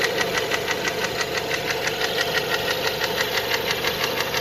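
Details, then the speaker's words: Renault Megane 2 1.6 automatic, hot idle after an oil leak: steady light ticking knock about three per second over the engine hum, source somewhere in the engine, not pinned down; cam phaser rattles on cold start, car drives fine. "Вот так стучит на горячую."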